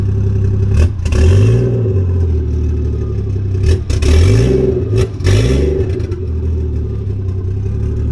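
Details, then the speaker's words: Lexus IS300 with a newly completed 1JZ-GTE engine swap, started for the first time in a while. It fires, holds a steady idle, and takes three clean throttle blips that rise and fall smoothly. Normal start and revs. "So let me start her up so we can hear how she sounds. Let's give her a few"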